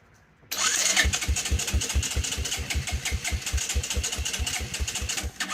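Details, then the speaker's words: 1984 Honda Big Red 200ES, just refitted with the old coil after a new one was suspected faulty: starter cranks at about four even compression pulses a second, never catches; owner suspects no fuel reaching the engine; cranks but will not start. "Nothing. I don't understand. I know it's got to get some fuel running down there."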